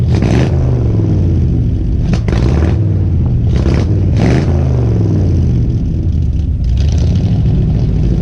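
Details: 1970 Ford F100 V8 truck that sat about 15 years, after a carburetor rebuild and new spark plugs. Deep, steady rumble with clean throttle blips and no misses; now runs well, though smoking heavily (new rings hoped for).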